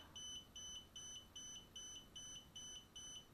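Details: DJI Spark remote controller beeping evenly about 2.5 times a second, nonstop from about 14-15 s after power-on, LED alternating red and green; a faulty controller, not a connection or calibration issue.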